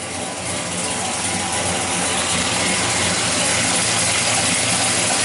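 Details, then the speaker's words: 1968 Chevelle with a carbureted LS 5.3 V8 and Turbo 350, idling just after water pump and clutch fan replacement: a steady, even V8 idle under a loud whoosh of fan air, no knocks or squeals. Some fan clutch wind noise, judged acceptable; the engine sounds healthy. "yeah not too bad I thought you'd hear you know what kinds of fan clutch wind noise but I'll live with that"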